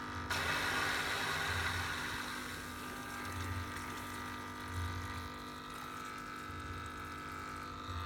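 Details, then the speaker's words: Aqua One 1050 Series II canister filter after a service, with air bled from the filter head: a hiss of flowing water fades to a soft, even pump hum with only a faint burble; it runs acceptably quiet. "That's not too bad. I'll leave that running for a while."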